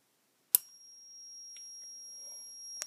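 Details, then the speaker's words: 2N3055 flyback transformer driver with a 0.68 µF capacitor, 1.3 Ω resistor and hand-wound coil, drawing about 2 A at 1.4 V from a DC supply: a click at switch-on, then a steady very high-pitched squeal of normal oscillation. "now when i turn it on you can hear the high pitched squeal of the transformer"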